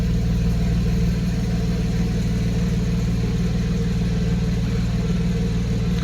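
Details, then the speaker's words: 1991 Mercedes 190E after hydraulic lifter replacement: steady even idle pulses about three per second, no ticking on the exhaust; earlier lifter tick gone, each cylinder firing evenly; normal idle. "see like it humps equally like each and every singly you kind of can hear each and every singar"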